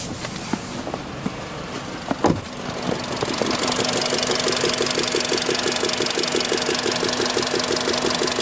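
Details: Engine with 58,6xx km, warm at 90°C after hot-start: sharp regular tick about three per second at idle; owner first suspected hydraulic lifters, but the cause was gas escaping past a loose cylinder 1 spark plug.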